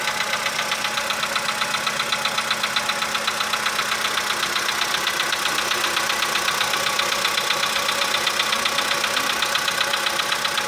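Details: 2015 VW Polo sedan just started cold, engine +5°C, outside −2.5°C: sharp even ticking roughly 90-plus per minute over idle, steady; owner suspects cold valve or hydraulic lifter, unconfirmed.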